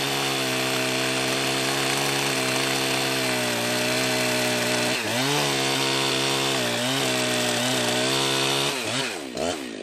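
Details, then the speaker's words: Refurbished Jonsered 2071 chainsaw with exhaust mod and pipe, warmed up, first cut in wood: high steady scream dipping under load with a strange rattly edge; owner suspects too rich on the low end, exhaust tight and not too hot. "I had kind of a strange noise going on there oh um I mean this thing did have some did have some issues going on with it seemed like it was too rich on the on the low end for one we got going on it seemed like it was kind of rattly or something"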